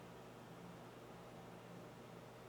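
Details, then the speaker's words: Breville BOV800XL Smart Oven preheating with convection on: faint steady low hum with light airy hiss, barely audible; normal convection fan noise, a non-issue. "And you can probably hear just a little bit there, but like I said, it's not that noise at all, and it's really a non-issue for this oven."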